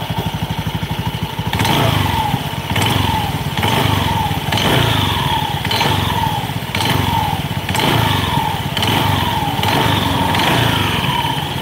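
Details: Honda Beat scooter, throttle blips: loose clattering rattle and falling belt squeal on each rev; drivetrain noise, cause not yet pinned down.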